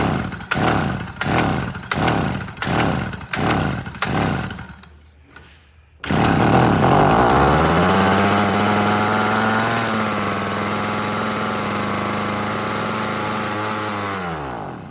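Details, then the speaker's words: Yard-sale two-stroke curb edger with no fuel tank, 2-stroke mix dribbled into the carburetor: about six rope pulls, then it fires and buzzes steadily about eight seconds before dying as the fuel runs out, showing spark and compression are good. "Well, I'll be dead gone. So it does run on the gas that you put in there. That's going to test a couple things. Obviously, it tested spark, it tested compression, it actually ran."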